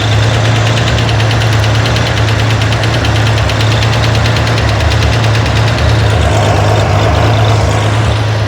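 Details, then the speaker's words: Corvair engine on a run stand at idle, hot valve adjustment: fast even light lifter clatter keeping pace with engine speed, coming and going as the hydraulic lifter fills and bleeds down; loose valve lash on a rocker being set. "That gives you an idea how long it takes a lifter to fill up and bleed down. And it's just a tiny bit of oil that it can get rid of each time it does a stroke."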